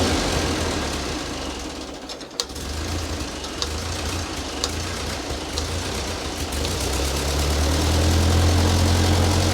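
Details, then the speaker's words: Ford 9N tractor that sat 10-15 years, just after the fuel system was redone (carburetor float had been stuck closed): even, regular four-cylinder idle chug rising slightly near the end. Runs smoothly, though heat is already building and the upper radiator hose is bad. "she runs pretty good for uh I don't know 10 15 years of sitting"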